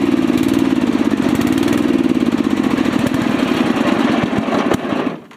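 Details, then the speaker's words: Rebuilt small single-cylinder engine chugs unevenly, beat wavering, then sputters and dies within a second; ran out of fuel. "also um I got back here yesterday and I ran right out of fuel right"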